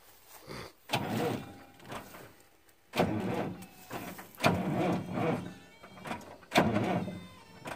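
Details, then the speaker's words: Freightliner FLD120 truck, 397k miles, first start attempt after sitting 17 years, clutch pushed in: starter comes in short laboured groans every few seconds, never spinning quickly; engine turns over hard and slow. "push the clutch in I don't know that dragging anything down or not it doesn't like to turn over"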